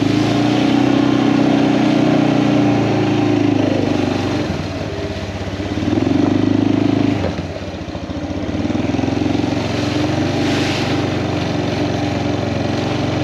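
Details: Kawasaki Prairie 400 ATV after engine rebuild, riding test, camera on magnetic base: steady single-cylinder drone rising and easing with throttle, no knocks or rattles; runs cleanly, float still needs adjusting.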